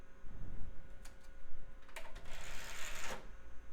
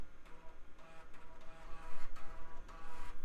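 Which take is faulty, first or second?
first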